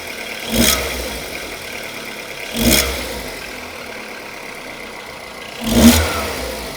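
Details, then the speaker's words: Skoda Rapid 1.6 16V CFNA (105 hp), bought used, owner complained of engine knock and odd exhaust; now warmed up, three clean throttle blips return to quiet idle with no knock, harsh sound was only when cold; normal warm revving. "Так, ребят, сейчас звук у мотора нормализовался, но он у меня на самом деле уже и прогрет."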